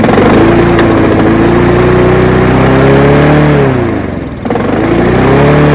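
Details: Honda HR173 lawn mower after detailed carb clean, fuel tap on, running: steady even beat with a brief dip around four seconds, then picks straight back up; runs cleanly, normal running.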